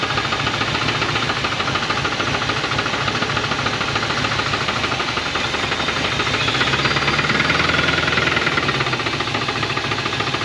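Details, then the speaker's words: 1980 Dodge truck, 360 V8 with Thermoquad four-barrel, sitting about 18 years, first start with fuel splashed in the carb: fast, regular metallic knocks over the idle, smoking; rod knock. "her family has success she's smoking and knocking that's perfect"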